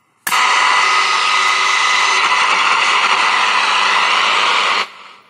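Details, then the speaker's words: Grundig Music Boy 210E portable transistor radio under repair: steady loud hiss with faint hum, no station received, louder hum on other bands; owner suspects capacitors and plans to replace them all; cause unconfirmed. "Can't hear it do anything though. It's still on. Seems to be. Let's crank it up a little. No. Nada. So I've actually got it to the point where it hums slightly."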